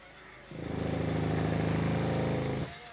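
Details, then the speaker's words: Mahindra Verito diesel: engaging reverse and releasing the clutch gives a rapid rattling knock, about four beats a second, for two seconds, then stops; owner suspected the gearbox, but the cause is a broken lower gearbox mount hitting the body. "ഇതേ കണക്ക് ശബ്ദമാണ്. ഇതാണ് ഇതിൻറെ ഒരു ശബ്ദം അപ്പം ഈ ഒരു ശബ്ദം ഗിയർ ബോക്സിന്റെ ആണോ എന്ന് അറിയാനായിട്ട് വന്നതാണ്"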